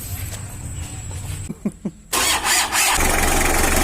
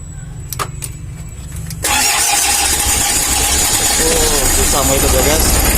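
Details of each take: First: 1991 L300 diesel after repair of jumped timing and rough running: a few cranking chugs, then it catches quickly and settles into a steady, reasonably smooth clatter; starts and idles fine for its age. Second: Old Mitsubishi L300 diesel with injection pump timing jumped a tooth: after the starter whirs it catches and runs harsh and uneven with a loud clacking knock, very rough, before tune-up.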